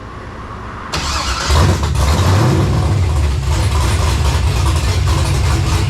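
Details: Monte Carlo LS swap on an ACES Jackpot LS EFI system, first startup. Engine catches and settles into a loping, choppy low-beat idle, the healthy sound of a big cam.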